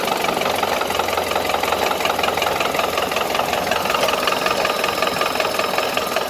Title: 1931 Ford Model A Pickup Engine Knock